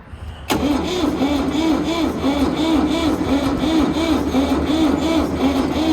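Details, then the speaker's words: Koning 305 bucket dredge at an auction lot, on choke: steady rhythmic cranking at about one beat per second with no firing or catch, so it cranks but will not start. "No, it's not gonna start."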